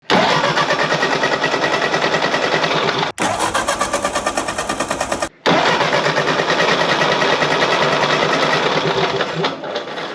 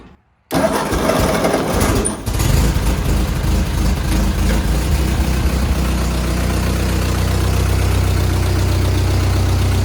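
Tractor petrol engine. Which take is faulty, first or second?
first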